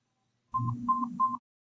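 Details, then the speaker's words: Nano BTE4 (formerly Nano X2 Recharge) rechargeable hearing aid: three quick beeps near 1 kHz after holding the lower button for three seconds, the normal power-off signal. "You'll hear three beeps."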